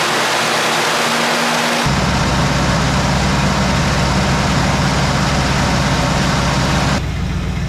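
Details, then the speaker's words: Small block Chevy in a 1972 Nova after Edelbrock cam, lifters, timing set, Performer intake and carburetor install, during 20-minute cam break-in at 2200–2800 rpm: loud fast idle with faint ticking; valve train noise before valve adjustment, plus a suspected exhaust leak. "We just broke in the cam. It 20 minutes for 22 to 2800 RPM, kind of varying. We got to do a little bit of our valve train noise."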